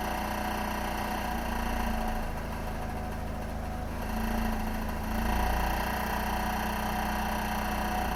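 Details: Hyundai Creta/ix25 engine running steadily at low revs with a loose, buzzy metallic rattle in the exhaust system, which was then found and repaired.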